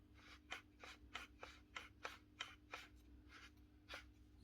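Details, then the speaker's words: Bosch GBH 8-45 D rotary hammer with a failed needle bearing letting the rotor move, run with the bottom cover removed: low motor hum with a repeated scraping rasp about three times a second. The loose motor fan is rubbing the air deflector. "can hear that fan rubbing off that green Air deflector reason why that bottom cover is not on"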